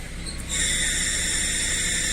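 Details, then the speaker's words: UAZ Patriot Pickup idling: shrill, steady high whistle cuts in the moment the clutch pedal goes down; whistling clutch release bearing, with the clutch replaced almost yearly. "слышно какой свис идёт сцепление получается менять у меня практически Один раз в год"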